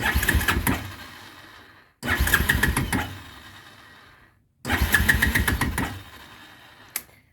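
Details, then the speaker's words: Quad (ATV): engine catches three times with ragged firing then dies within about two seconds, won't stay running; owner suspects low oil or the kill switch, not confirmed. "Quad will not stay running."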